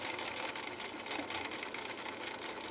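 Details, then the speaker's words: 1960s Husqvarna Viking 6440 Colormatic sewing machine after parts and adjustments, sewing zigzag slowly through thick genuine leather: quick even needle chatter, smooth and regular, no knock or bind; healthy. "let's see how this 6440 handles a zigzag with needle swing going down this fairly difficult and fairly thick material of genuine alkyd"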